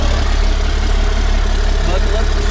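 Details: 1991 Ford F350 with CAT 3126 diesel swap, after new oil pump install to cure hard starting: steady, even low diesel rumble at idle with smooth unbroken beat; healthy, settled normal idle.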